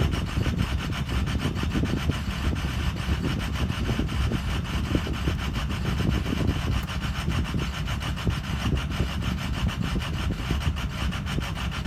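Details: Ford Excursion 6.0 diesel with an intermittent rough idle: a rapid, rasping clatter that settles partway through to a smoother, quieter normal idle.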